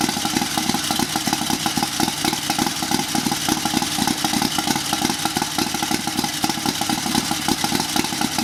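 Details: Turbocharged 670cc Chinese V-twin buggy with billet rods and flywheel, heavier valve springs, bigger cam, draw-through carbureted turbo, just after first start on choke, unloaded: lumpy but even idle beat with a rattly top end; runs cleanly with no misfire.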